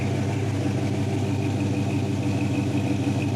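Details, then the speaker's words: 1979 Chevy K10 square body, first start: even V8 burble at a steady warm idle just above 700 rpm, timing at 8 degrees, no misses or knocks; choke sticking. "I'm right at the bottom end of it, but it's idling good. I mean, it's holding just above 700."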